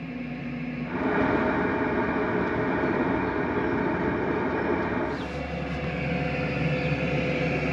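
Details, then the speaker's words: 2 kW diesel heater in a VW T6 campervan, first switch-on at maximum: normal running, smooth even fan whir after a step up in fan speed with only a faint tick from the silencer-covered fuel pump. "i don't if you can hear that in the camera but it's now falling out still find that cool air and i can hear the pump slightly ticking it's quite quiet"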